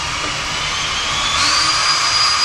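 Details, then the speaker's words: Ryobi combi hammer drill driver running in reverse, variable-speed trigger pressed lightly then harder: smooth motor whine climbing evenly in pitch as chuck speeds up; normal variable speed operation. "if i press this very lightly you can hear or possibly see the chuck going around very slowly and as i increase the pressure on the"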